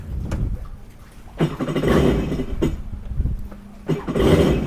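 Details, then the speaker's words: Jet ski after removing a limestone rock that locked up the jet pump impeller and reassembling: engine catches after a couple of tries, revs in short bursts and settles, clean with no rattle; running normally. "All right, well that worked. Got the rock out of the jet pump and we're back in business."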